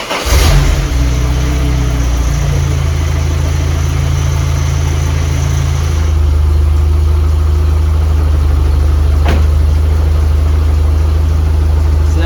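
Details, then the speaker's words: Supercharged Toyota 22RE with Microsquirt standalone EFI and new injectors, cold start on base map: cranks briefly, fires and settles to steady even low idle without touching the gas; took a second to start, may need more startup fuel; normal cold-start idle. "that's a good sign. I didn't have to mess with anything. I didn't have to hit the gas. It did take a second to start up, so maybe it needs more fuel at startup or something, but that wasn't too bad."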